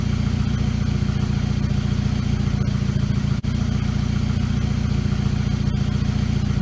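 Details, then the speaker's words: VW GTI turbo four after forged-internals rebuild, start with new downpipe installed: low steady idle burble around 750 rpm, even beat, no misses, knocks or ticks; check engine light on for a valve broken during reassembly; normal idle. "but I mean she's idling good keep right at 750 work she should be sounds good to me"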